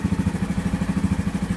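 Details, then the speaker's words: 2015 Yamaha Grizzly 550 ATV, about 100 miles, formerly dying in park and barely cranking; restart after a new spark plug: cranks up easily into an even single-cylinder idle about twelve beats a second with no misses. "Well, it is cranking up easily."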